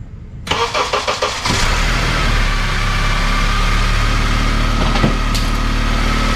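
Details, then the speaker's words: Honda CR-V (2001 or 2002) after a new belt (old one snapped), new water pump and engine mount refit: short crank, quick catch, then a steady even idle with no whine or bearing growl. The noise is gone and the engine is healthy. "good it looks beautifully no more noise it's a bit of extra oil we're going to clean up later but anyway all good filled up with more water"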